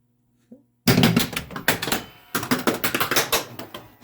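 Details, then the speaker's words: Lord of the Rings pinball machine at power-up after restoration reassembly, Balrog mechanism working for the first time: quick, irregular bursts of sharp mechanical clunks and clacks; mechanism moves freely, normal operation. "first time i seen balrog work since i uh put everything back together"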